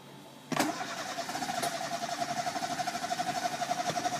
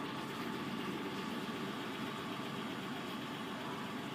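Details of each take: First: Chevrolet Spark crank no start, code P0342: starter cranks steadily about four seconds with even pulses but engine never catches; faulty camshaft position sensor. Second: Chevrolet Spark with crank-no-start complaint and camshaft position sensor code P0342: quiet, constant hum with no surging, misfires or knocks while running; holds a smooth, stable idle.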